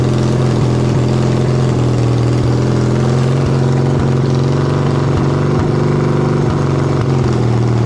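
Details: 1979 Yamaha XS650 after carburetor rebuild (new jets, needle, springs): steady even idle with low throb and light regular ticking, holding speed without stumbling; runs fine.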